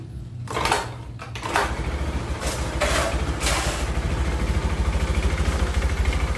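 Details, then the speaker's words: Honda Beat FI scooter after top-end engine rebuild for rough noise and smoke, all parts replaced: cranks, catches and settles to an even, steady low idle with no knocking; sounds normal again. "Oke kita dengarkan sama-sama dari suara mesinnya Apakah suara mesinnya sudah normal lagi"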